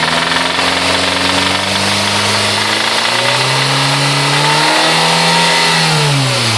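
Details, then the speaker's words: Honda B16A, recently replaced lifters, unexplained oil loss: engine revs and settles with sharp rapid knock rising with revs; owner suspects spun bearing, unconfirmed. "so is that a spun bearing that's sounding like a spin a spun bearing so let me know"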